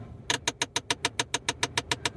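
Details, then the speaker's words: 2005 Pontiac Vibe dash: rapid steady sharp clicking, about seven per second, from behind the passenger-middle dash vent, caused by a broken recirculation door actuator; pressing a button stops it; fixed by replacing the actuator. "you can hear that clicking noise kind of sounds like it's like kind of in this area somewhere like behind this vent"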